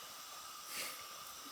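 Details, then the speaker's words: Gas fireplace insert that was not working, logs refitted and cycle run: soft gas hiss, a short puff as the pilot catches, then an even, quiet burn. Pilot lit and holding, enough to heat the sensor; cobwebs from spiders suspected as earlier cause. "yeah cuz that thing that pilot has to be enough to heat that sensor up for it to work"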